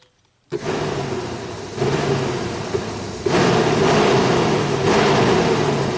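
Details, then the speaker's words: 1991 Audi Turbo wagon, high-speed circuit powered via test light probe on pin 1: steady rushing whir stepping up twice to full speed; relay and load side work, fan runs all three speeds, resistor and ground good. "let's see Tesla's hot right that's definitely high speed now where is that Relay can we hear it click before the fan kicks"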